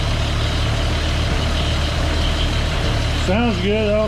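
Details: CCKW military truck: low, steady idle with an even beat and no puffing or ticking, no exhaust leak heard anymore; runs sound, music at the end.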